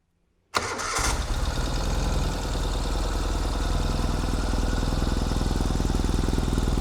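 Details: 2021 Ural Gear Up Hornet custom sidecar motorcycle after final assembly, started in neutral: quick crank, catches at once, then a steady thumping twin idle around 200 beats a minute, firing evenly; normal start and idle.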